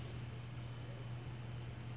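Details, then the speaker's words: Ring test on a cleaned, oiled crankshaft from a Honda Civic VTi D16Y8 rebuild: one tap gives a clear, long, sustained ring. Even a hairline crack would make the ring short, so the crank is uncracked. "you hear that that's quite long right see again yeah yep so when there's an inherently even just a hairline crack that ring The Greening sound is not going to be that long it's going to be short"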